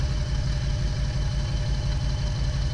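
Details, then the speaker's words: 2008 Jeep Wrangler idling with a flashing check engine light and misfires on cylinders 2 and 5 after new coil, plugs and wires: a lumpy, stumbling low thump; the faulty ECM has a bad coil 2 driver that gives no ground. "so that's why our jeep is running poorly and that's why is a misfiring we have a problem with the our pcm is now grounding this wire here"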